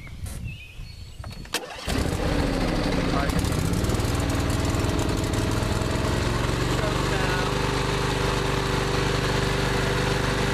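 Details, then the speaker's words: John Deere L120 Automatic riding mower, already warm from recent running, started with brake on and a little choke: quiet, then quick crank catches and settles to a steady, even low rumble; healthy start. "If you're running it, you usually don't need that choke. It'll start, but I'm going to put it up here to start it."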